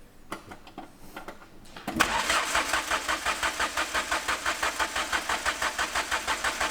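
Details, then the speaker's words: Ford Fiesta Mk2 sleeper build: steady starter churn with no firing, fuel confirmed in the tank but no fuel pressure reaching the engine. Crank, no start. "Turn the key over. Uh yeah, just crank it. Get the pumps to go. Crank it. There ain't no fuel pressure."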